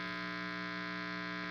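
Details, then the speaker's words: Guitar amp with noise gate pedal in the effects loop, guitar plugged straight into input: steady loud buzz with mains hum and bright hiss; the gate in the loop removes the noise only when the guitar is turned down. "so as you can see and here as we turn it down when it's in the loop we get rid of that noise but"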